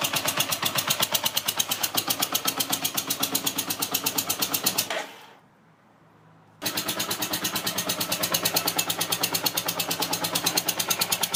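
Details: Yamaha TDM 850 4TX motorcycle engine at idle: rapid, even mechanical clatter ticking over the idle, briefly stopping then returning unchanged; abnormal engine noise, source unclear.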